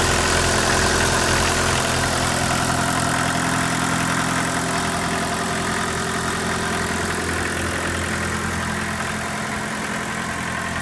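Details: Mk1 VW Rabbit diesel with replaced overflow injection hoses, recorded on an iPhone near the engine: an even, steady idle clatter that settles smoothly with no misses or knocks; a normal, healthy diesel idle.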